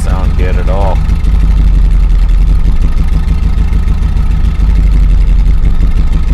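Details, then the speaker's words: 2000 Chevrolet Silverado 5.3L LM7 with VS Racing 7875 turbo after Summit SUM-8701 cam swap, idle tuning in HP Tuners, in park: deep, steady rumble with slight even cam lope, no misses; idles okay in park but barely runs in gear. "okay back back to park here so what idles okay in park but obviously I'm gonna need a way bigger for this number here"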